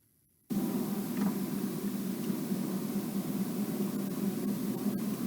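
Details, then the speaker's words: Ford Ka on road test, cabin microphone: steady low droning wow hum under road rush from worn front wheel bearing, not detectable spinning on ramp. "so hopefully you can hear that wound wow noise captured in the cabin by the mic"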